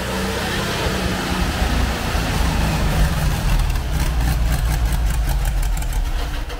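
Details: 1980 VW Kombi with 1600 flat-four, parked 12 years, on first start after carburetor, filter hoses, belt and oil work: a deep, slightly uneven rumble settles into a steady, clean idle with no knocks. A fuel leak was found afterwards and the pump needs replacing.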